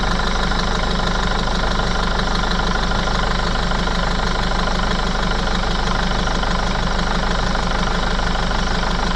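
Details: Mercedes Sprinter 311 CDI diesel idling. A rhythmic puffing chuff, about three per second, rides over the clatter as spray shows compression puffing out at one injector (black death). Blowing injector seal.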